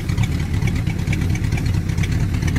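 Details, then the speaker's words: LM 318 marine V8 boat engine with a 3/4 racing cam, run with a manual oil pressure gauge showing good oil pressure. A deep, steady loping idle with no knocks or misses, running fairly smooth. "sounds like it's running fairly smooth now if I had a street car that run like that I'd tell everybody it had a racing cam in it"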